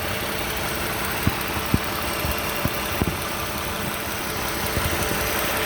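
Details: 2015 Toyota Sienna SE with 71k miles at idle: scattered, uneven light clattering ticks like a diesel; the source of the rattle is unknown.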